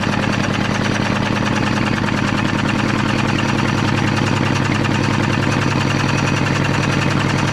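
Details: Caterpillar D8 2U pilot (pony) motor with rebuilt magneto, after freeing a sticking part; fast, even putter with a steady low beat and no misses; normal running.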